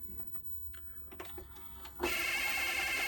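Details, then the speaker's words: 1982 Panasonic NV-366 VHS deck with belts known to be bad. Fast forward gives a few clicks, then a loud, shrill high whirring; owner doesn't think it's the tape. Noisy fast forward. "forward seemed to work but very noisy i don't think it's the tape"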